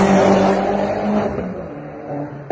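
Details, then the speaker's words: Seat Cupra R 1M with full roll cage and stage 2 remap, after the air mass flow sensor was refitted and the fault code cleared; the test drive and diagnostics are clean. Smooth, even note easing off throttle with no misfire or stumble; runs sweet. "Now we've done the test drive again, we've run the diagnostics again, and nothing's come up, so the car runs sweet."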